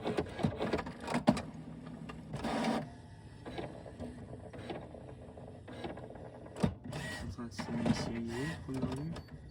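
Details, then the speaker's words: New HP Smart Tank Plus 555 wireless printer on first start-up initializing: quiet whirring with scattered clicks and short motor bursts as carriage and pumps cycle; owner suspects ink flowing; normal initialization. "donc c'est en train de s'initialiser la première vue comme ça vous voyez"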